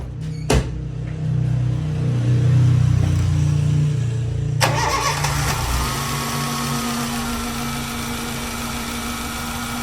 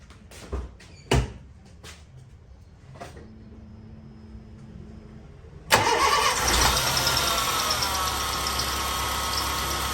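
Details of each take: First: 2005 Honda Fit after tightening the alternator/accessory belt tensioner bolt: engine cranks and settles into steady, even idle with belt squeal gone; belt worn, pulley bearing may still need replacing. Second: 2005 Honda Fit starts and idles with a steady high squeal from the alternator/accessory belt slipping on the pulley; the owner tries tightening the belt as a fix: loose accessory belt squeal.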